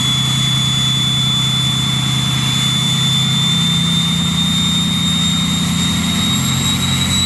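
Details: Ford 6.0 Powerstroke diesel with a new stage 1.5 63.5 mm 10-blade turbo: a clear high whistle sits steady over a deep idle and climbs slightly as revs rise. A healthy turbo spooling.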